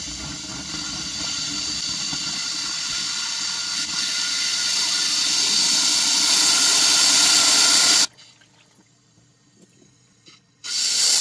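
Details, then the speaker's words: Rover Mini SPI with cooling flow problems: compressed air blown into the upper coolant hose with the heater valve blocked, forced through the intake manifold. A steady loud rush for eight seconds then stops; pressure builds, showing a restriction in rusty, sludged coolant passages. "so interestingly I'm feeling some pressure building up in the system when I'm blowing the air into this this upper hose and I've got the heater valve uh blocked so all the air is being forced down into the intake manifold and then back out again um so yeah there's definitely a restriction here"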